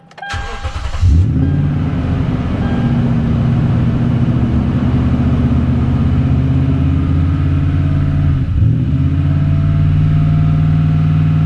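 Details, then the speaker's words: 2013 Toyota Tundra 4.6L V8 automatic 2WD, P2111 limp mode, after throttle body refit; start after sitting about 3 hours: single unexpected rev flare about 8 seconds in, then steadier idle; check engine and TRAC lights gone. "I did get that one weird throttle surge. I didn't expect it, but the check engine light is gone and the track light is gone, so that's a good sign."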